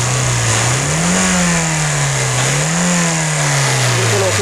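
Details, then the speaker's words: 2004 Toyota Corolla XLi/GLi after crankshaft position sensor repair (code P0335, had jerking while driving and shifting): engine revs rise and fall cleanly through two blips with no stumble; runs smooth. "गाड़ी बिलकुल smooth है"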